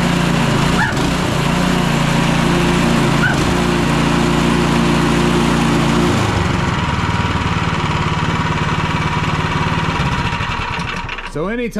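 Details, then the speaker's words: Craftsman 24-inch snow blower (MTD-type design): engine runs steadily, and on auger engagement the drive belt squeals with a warbling note under load because the auger is stuck and won't turn. "we go to hit that engagement all that happens is the belt starts squalling"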